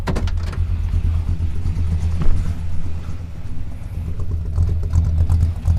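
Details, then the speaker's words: Buick with small-block Chevy V8 and mild RV cam at idle after reconnecting the exhaust to the manifold: low, even burble with a steady beat, the exhaust leak ticking gone. "it hard to beat the thumpity Thump Thump of a small block Chevy with a mild RV cam in it but hey exhaust leak is fix for real this time"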